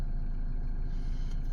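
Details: Toyota D4D diesel in a Fortuner/Hilux after timing belt replacement and belt-warning reset, battery slightly low. Low, even diesel rumble at steady idle with no knocks or misses; normal idle.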